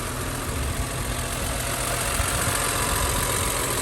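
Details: Newly bought, cheap BMW E46 M3: steady, even idle with a smooth low rumble and no knocks or misses. Healthy at rest; the owner suspects a K&N filter is fitted.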